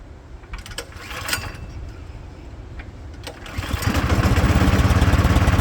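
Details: Craftsman snowblower, seasonal start-up after priming and throttle adjustment: catches after a few sputters and settles into a steady, even chug around three to four beats a second; normal start-up and running.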